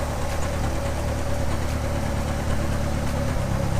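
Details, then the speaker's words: Drift car with Bosch 044 fuel pump and cheap fuel pressure regulator, new O2 sensor plugged in: deep idle with uneven stumbling pulses and occasional thumps; rough idle and miss go away when O2 sensor unplugged, its signal suspected. "all right so that's what it sounds like now and it's got a bit of a shake to it a bit of a rough idle now"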